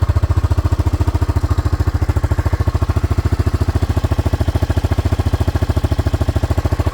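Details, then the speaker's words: Club Car DS (circa 1990) running a 1985 Honda ATC 250SX single-cylinder engine with replaced carburetor and low-pressure 12-volt electric fuel pump: steady, even thumping at a fast regular beat, no misses or stumbles; idles cleanly and normally. "So I replaced the carburetor, added a 12-volt electric fuel pump, low pressure, and it runs absolutely perfect now."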